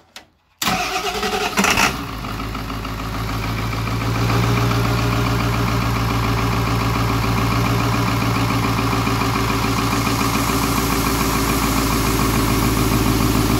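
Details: 7.3L Powerstroke turbo diesel (Navistar T444E), first start after almost 2 years crated: catches after a brief crank and settles into a steady clattering idle with extra rattle; exhaust back pressure valve is noisy.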